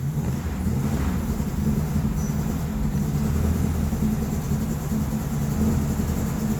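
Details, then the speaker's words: Buick Grand National with a no-start complaint and dead battery, jump-started: low, even, smooth engine rumble with no knocks or misses, running normally though smoking heavily after starting. "Let's turn the key and see what happens. Oh, and she's purring. Baby's roaring now."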